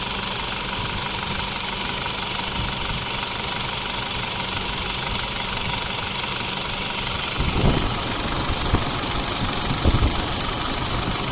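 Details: Isuzu D-Max diesel at idle after AC compressor clutch replacement and refrigerant refill: steady clatter with constant compressor hum, no clutch chatter or grinding; clutch engaging and running normally.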